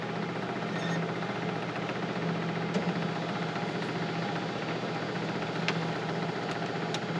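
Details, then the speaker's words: 1950 Ford Shoebox flathead V8, off the road 50 years, first start after compression test and carb rebuild: rough, stumbling chug with sharp pops; misfire and backfire because the distributor was installed 180 degrees out. "Oh yeah, distributors 180 out. All right, boys. We're gonna flip her around and we'll be back."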